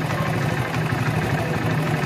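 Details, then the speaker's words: Honda CD70 single-cylinder motorcycle at idle, steady low putter while the carburettor mixture screw is opened about 3 to 3.5 turns; revs rise then fall, and the screw is left at that point, to set fuel economy without opening the carburettor. "ये आप इसकी race बढ़ रही है। जब race बढ़कर फिर कम होगी वहीं आपने मिक्सचर को छोड़ देना है।"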